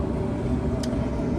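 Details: Samsung dryer that hummed from its motor, after the motor was swapped in from a 2-3 year old parts unit and confirmed heating; steady low drum rumble and even motor hum, no squeal, scrape or thump; normal running.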